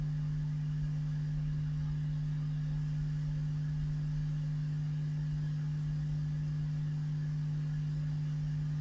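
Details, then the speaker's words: Vintage 1970s Marshall 6400 mixer amp: a constant low hum at a fixed pitch with faint hiss, seen as ripple on the output transistor emitter and judged amplified from an earlier stage, returning as volume is turned up: mains hum. "okay so what have we seen there is effectively being Amplified from somewhere on an earlier stage and turn these up it's back again"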